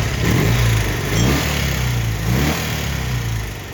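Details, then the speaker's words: 1972 BMW R75/5 airhead twin with Bing 32mm carburetors, after digisync and idle-drop sync and tune: crisp, clean rev blips to about 4,000 rpm dropping smoothly back to steady idle around 1,000 rpm; balanced, normal throttle response. "And just from the beginning of the video to the video now, you should be able to tell, listen to the throttle response."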